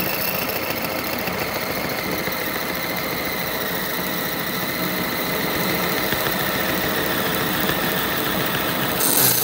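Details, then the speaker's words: Lathe boring the nose of a bullet mold on the final pass: thin, steady, high squeal over the lathe hum that grows as the cutter radius engages more of the part; the long cutter overhang causes chatter. "Is that radius on that cutter starts to engage more of the part, it picks up more of the squeal. But it is hanging out there quite a ways."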